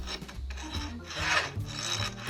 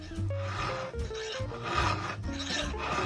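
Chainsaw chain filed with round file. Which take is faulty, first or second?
first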